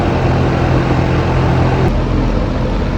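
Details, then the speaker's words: Trane XR13 outdoor AC unit after replacing a busted capacitor: only the condenser fan's steady whoosh and low hum, with no compressor thump; the compressor isn't starting, and the unit draws only 0.91 A. "so we'll see if this kicks on fan don't know if the compressor kicked on though"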